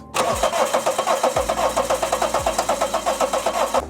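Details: Daihatsu Terios stored about 5 years, cranking after oil added to cylinders through the spark plug holes: steady starter churning at about eight even compression pulses a second for nearly four seconds, never catching.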